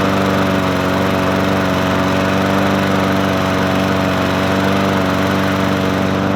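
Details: Murray 20-inch 4.0 HP push mower (20415x8D), a found mower, primed and started on a cold 53°F day: small engine holds a steady, even drone with no surging, misfires or knocks; running cleanly.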